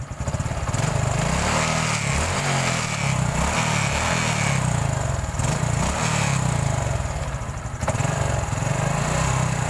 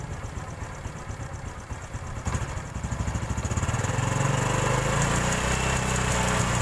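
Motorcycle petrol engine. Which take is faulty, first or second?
second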